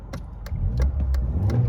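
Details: 1993 Mercedes 220CE W124, M111 2.2, after throttle body and coil harness rewiring, warming up on old fuel: a short rev that swells cleanly and evenly without stumbling or misfire. The idle is still not perfect, but rough running seems fixed.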